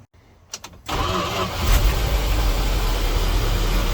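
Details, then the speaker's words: 1979 Dodge W300 Club Cab truck: the engine catches and settles into a rough idle with a low drone, while the starter keeps spinning after the start. "i just started the old truck up listen to this the dad playing starter won't quit running i swear this thing i'm telling you it's an electrical nightmare"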